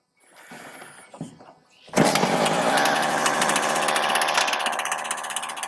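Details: Husqvarna 455 Rancher chainsaw with about 4 hours total runtime, started cold on half choke with a spark tester fitted; sharp start then crisp, steady, even high two-stroke buzz with no stumbling.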